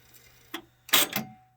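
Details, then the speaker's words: Sony stereo system cassette deck trying to rewind after a tape yanked the pinch roller loose: low hum, light click, then sharp double clack as it stops, less squeal than before; misfire on rewind, cause unknown. "yeah it wasn't making that big of a squeal JK 18 if you're watching this can you figure out what that noise is because whatever it is it's a misfire"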